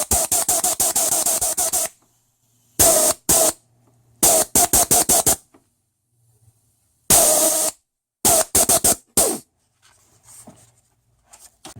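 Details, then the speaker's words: 1996 LandCruiser 80 series 4.5 petrol, A442F automatic, bench air test of a shift solenoid; crisp on-off air bursts, opening and closing properly. Number 2, the suspected gumming fault, is tested next. "Number 2 solenoid. This is the one that we believe is playing up, which is either gumming up or I don't know."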